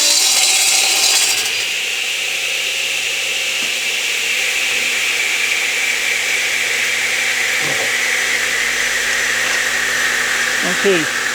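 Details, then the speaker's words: Delta 12 in 33-892 radial arm saw with a negative-hook-angle blade crosscutting a board held to the fence and supported at both ends, arm not stiffened. A steady high blade whine with no snatch, bog or chatter; a smooth, controlled crosscut. "you may have noticed that I did not stiff arm the cut. In other words, I didn't have my arm extended out quite as tightly as I probably should have."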